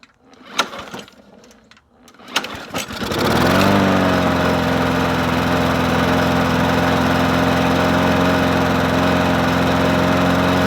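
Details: Murray 20-inch 4.0 HP push mower (20415x8D), a found mower primed with three squirts on a cold 53°F day: engine catches after a few pulls and settles into a steady, even drone with no misses or surging; running normally.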